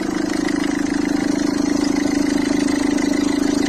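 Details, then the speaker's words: Citroën C3 1.4 HDi diesel at idle: fast, even chatter about three times a second on top of the idle. Accessory belt tensioner visibly bouncing. "Vous le voyez danser lui? Ça c'est pas normal. Alors je vais lui remplacer cette pièce là qu'on appelle un tendeur de courroie d'accessoires."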